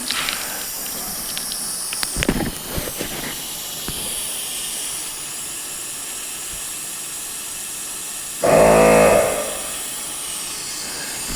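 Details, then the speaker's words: ARB air locker system with compressor running and diff cover off: constant thin hiss of escaping air while the compressor cycles, traced to the differential locker seal housing; seal housing or seals to be removed and checked. "definitely coming from the seal housing area"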